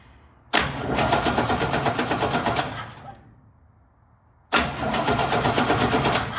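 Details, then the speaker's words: 1969 Chevrolet C10 inline-six, unused about nine months; two bursts of steady starter cranking, engine spinning evenly but never firing, still no spark after replacing the ignition coil; distributor now suspected. "Nope, still not getting a flash. It's pretty bright, you would be able to tell. All right, so yeah, it was definitely not the coil."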